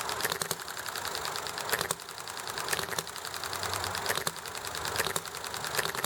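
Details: Enjomor hit-and-miss engine running nicely, with highway traffic and chatting in the background: light ticking mechanism, sharp firing pops every second or so as it slows, coasting between; clean, even, normal hit-and-miss cycle.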